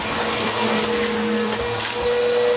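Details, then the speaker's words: Bissell vacuum running on the third setting after a new brush-roll belt was fitted: a steady, even motor whine with constant airflow rush and no slapping or squealing from the brush drive. "that was a simple fix yeah that's a simple fix"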